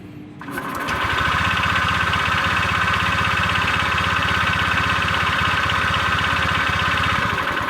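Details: Old Honda Vario 125 scooter that the owner says has a worn connecting rod, just after an oil change to 20W-50 and before adding oil treatment. Even idle with a steady light knock about four times a second under the exhaust note.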